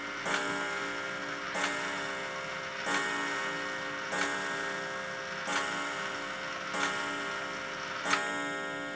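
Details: Antique Sessions clock movement after reassembly, broken-lever repair and J-hook adjustment: seven evenly spaced ringing gong blows about 1.3 seconds apart, each decaying cleanly; the strike train counts the hour properly.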